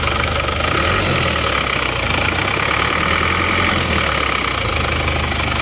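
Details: Isuzu Panther diesel, automatic, brought in for blow-by, engine at operating temperature, idling and revved: a steady, dense diesel clatter at an even pace with no uneven knocks or misses. Runs normally; idle still needs adjusting.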